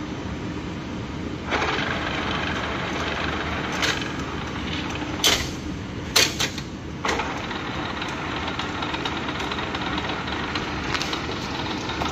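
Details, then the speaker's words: 1980s Clausing-Colchester 15x50 lathe being commissioned, set at 60 Hz and drawing 2.3 A, oil pump working, belt a little loose, chuck jaws seemingly running out: steady whir with faint gear whine and clanks; little bit of gear noise. "Little bit of gear noise. Now she's cutting"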